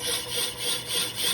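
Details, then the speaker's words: Lathe resurfacing an old Willys Jeep clutch pressure plate, with a rubber anti-chatter band, faster power feed and a vise strip: harsh, gritty scraping hiss pulsing slowly as the tool cuts; some tool chatter remains. "A little bit of chatter going also put this Vice strip on there sometimes that helps with cool chatter"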